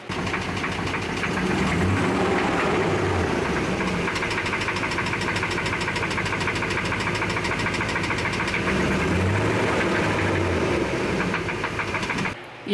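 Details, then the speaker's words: 5.7L Gen3 Hemi V8 from a 2007 Dodge Ram 2500 running before removal: steady hard knocking about three per second over a rough idle; suspected rod knock, possibly other issues, full teardown planned. "so, uh, definitely sounds like rod knock. Could be some other issues, some other things going on."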